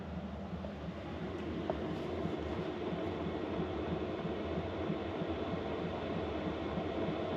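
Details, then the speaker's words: Diesel heater installed in a VW Vanagon, at maximum setting 10 of 10, drawing about 3 amps from the house batteries. Steady, even fan roar with a soft low hum, no knocks, rattles or squeals: normal running at full power. "So that's running full tilt. That's as noisy as it gets. It's pulling 3 amp hours on my batteries on high."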